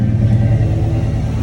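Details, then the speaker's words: 1995 Ford Mustang at startup after replacing a harmonic balancer that was coming apart, stock crank pulley refitted. Steady, deep, even rumble with no shake or knock; smoother than before. Normal idle. "oh it already feels smoother it used to have a little vibration"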